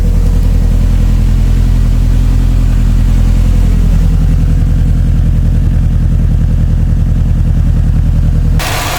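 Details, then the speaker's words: 2007 Subaru WRX STI boxer warming up, coolant about 180, after fixing pre-turbo leak, new up-pipe, VF48 turbo, catless downpipe, exhaust: steady deep even idle burble, earlier airy puffing from turbo gone, no leaks. "coolant's starting to rise up slowly it's about 180 but man this thing's already sounding so so much better the idle sounds better you could just hear it no leaks"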